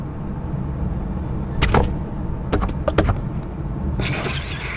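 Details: Audi 80 B3 rear wheel hub bearing, car jacked up and wheel spun by hand: low steady droning rumble of a worn bearing, which also shows play when the wheel is rocked vertically.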